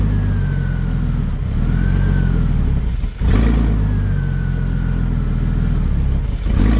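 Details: BMW E46 330ci, abandoned over six years, revved: loud, raw, booming exhaust that swells with revs and drops back, loud because the catalytic converters have been removed.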